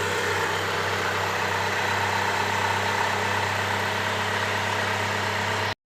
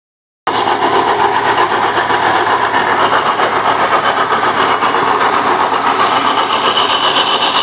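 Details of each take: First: Hyundai Trajet after replacing the cracked power steering pump bearing; smooth, steady idle with an even low drone and no whine or growl from the pump area. The noise is gone and the idle is normal. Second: Hyundai Trajet power steering pump with a harsh, gravelly rumble running steadily beneath the engine; the owner suspected a cracked bearing, and disassembly confirmed the pump bearing was broken. Power steering pump bearing failure.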